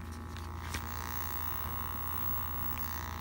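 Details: Canon Vixia HF R800 camcorder headphone jack: steady low electrical buzz in the headphone monitor feed because the jack is set to AV output instead of headphones in the settings.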